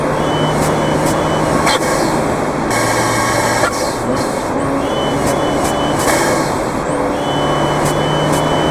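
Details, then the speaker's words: Fiat 124 Spider Abarth, tuned, engine mic'd: loud high-rpm pull with uneven chuffs and sharp breaks about every second, boost stuttering. Cause: pre-installed yellow Forge wastegate actuator spring too stiff. "so so as you can hear there it's very very noticeable like i said in the car too you can tell okay now that issue was the forge wastegate actuator"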